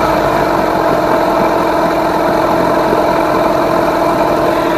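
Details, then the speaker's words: Rebuilt-powerhead Yamaha 15hp outboard after ignition timing and idle mixture tuning, cowling off, restarted: ticks over smooth and even at steady idle, no hunting, high idle drops right back; running well. "Yeah, I'm pretty happy with how that's running at the moment."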